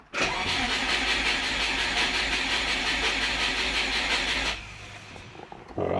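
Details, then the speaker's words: Turbo Subaru Forester after ECU update, mid-pipe and oil cooler work, injectors disabled: fast steady starter churn for about four seconds, under 200 rpm, never fires; ECU shows crank trigger reference error 1301, suspected lost crank trigger signal or timing, unconfirmed. "We're not even getting up over 200 RPM. But yeah, we're not getting that trigger anymore."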